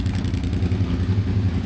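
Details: Suzuki SV650 V-twin idling after its electrical fault was fixed, with the regulator now reading about 14.5–14.87 V; lumpy but even idle with a steady low throb and no knocks or rattles; normal idle.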